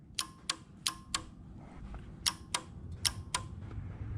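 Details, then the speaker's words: Yamaha V-Max motorcycle with added relays for line lock and separately wired air shifter: with the switch on, pressing the button gives crisp paired clicks, about eight in four seconds, as relay and solenoid switch normally. "But now when it's on, I hit the button, you hear everything clicking."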